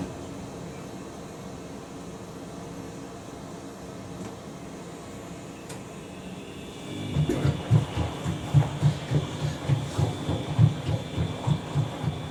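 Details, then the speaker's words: Washing machine with shallow drum paddles on wash: quiet hum, then a soft rhythmic swish-thump about three times a second as the drum turns; normal paddle sloshing. "sound you're hearing is the um it's the the paddles doing that because they're so shallow."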